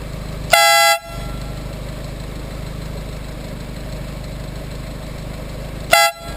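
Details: Normal horn: a replacement eBay "150dB" air horn, tested right after installation on a car, gives two loud, steady half-second honks in a bright clear tone; louder than the old horn but not as loud as claimed.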